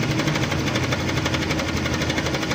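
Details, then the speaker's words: Honda Click 125 scooter (odometer reads about 2,480, speedometer faulty) idling cold with a fast, constant metallic rattle. Another mechanic blamed a bearing, but the cause is the cam chain tensioner, which is being replaced. "Pero ito tuloy-tuloy siya pagka malamig. Yan. Ngayon yung ganitong scenaryo mga ka-ride alam ko na kaagad kung ano yung problema nito."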